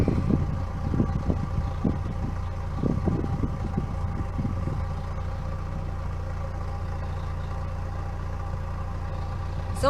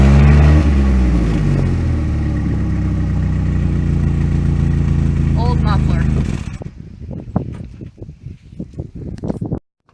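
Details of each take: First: 1998 Pontiac Sunfire idling after its factory muffler was replaced with a new OEM Walker muffler, checked for leaks: low, steady exhaust burble with no puffing or ticking from the joints; quiet, even, leak-free, quieter than the old one. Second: 1998 Pontiac Sunfire with worn factory muffler due for replacement with an OEM Walker unit: deep, loud, booming tailpipe drone at steady idle, far too coarse for stock; worn-out muffler.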